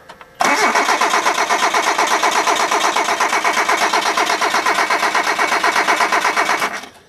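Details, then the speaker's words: Hyundai on a chilly night, plug wires set with a gap at the plugs, owner suspecting the spark plugs and possible flooding. Steady starter cranking for about six seconds with no cylinder catching, though it was kicking over yesterday. "Nothing. Not even a nothing. That's weird. It was kicking over yesterday."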